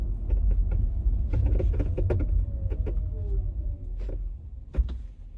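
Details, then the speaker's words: 2023 Genesis GV60 driving in cold weather (about 46°F, Alabama), before the fix: irregular light clicks and ticks from the rear over low road rumble as the hatch alignment tabs rub against the body when the hatch flexes. "it's causing them to rub up against each other making that I guess rubbing clicking whatever noise"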